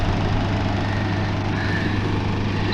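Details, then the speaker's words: Free window AC unit the previous owner believed had shot bearings, on power: steady low hum with an even whir and no grinding, rumble or rattle; the fan motor and bearings run smoothly. "plug it in it makes a beeping noise do we have power we has power yes fans spin"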